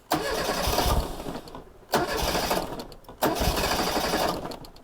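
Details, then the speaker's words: 1987 Reliant Rialto barn find, restart after first runs: catches straight away and revs cleanly in three short bursts with no stumbling; starts beautifully. "Oh, listen to that. Beautiful. So that is the answer to will it start? That started beautifully."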